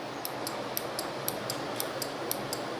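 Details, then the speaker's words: NE555 timer with 12V relay after changing the capacitor: crisp, evenly spaced clicks about four per second; switching speed increased, timer working cleanly. "देखिए दोस्तों, speed बढ़ गई है।"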